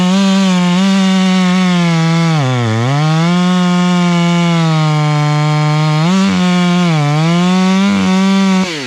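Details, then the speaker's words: Stihl MS 461 chainsaw with Westcoast Saws kit (dogs, bark box, Maxflow air filter), limiters removed, carb tuned rich: steady high buzz that bogs and recovers cutting, burbly uneven four-stroking off load; could be leaned to run zippier. "right now we're looking for a little bit of that four stroke noise and it's kind of a little bit of a rumble noise and we don't want it to actually just totally scream unless we're in the"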